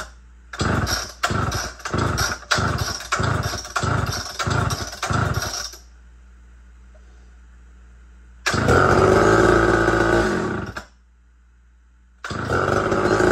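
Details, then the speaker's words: Big Red Super XL chainsaw run out of fuel after cutting wood: about nine starter pulls, short rasps with no firing or catch; no start, tank empty. "But this is definitely out of gas. So it will not run because it's out of gas."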